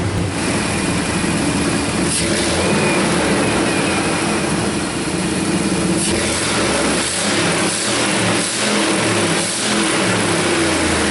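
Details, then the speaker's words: 2001 Dodge Dakota 4.7 V8 with P0171, choppy O2 readings and raised fuel trims: loud raspy puffing rising with revs from the exhaust, flange broken off the manifold with snapped bolts, an exhaust leak. "sounds like it's busted off right of that manifold yeah basically it's equipped with a flamethrower package"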